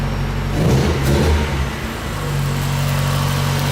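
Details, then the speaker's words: Lowered Mazda Miata with good oil pressure: a short smooth throttle blip settles back to an even, quiet idle with no knocks or rattles; engine healthy, quieter than many Miata motors. "the engine's really quiet i've heard a lot noisier miata motors than this thing"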